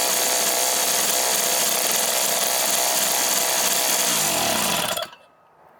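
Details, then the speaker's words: Craftsman 3hp 21-inch snowblower, Tecumseh two-stroke, after carb rebuild and service, warmed up then restarted: high, raspy buzz holding steady speed without surging or missing, then cuts off; runs well. "she running real good Fellas let's bring it in and finish it"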